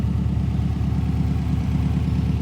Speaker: Thing's ticking over though.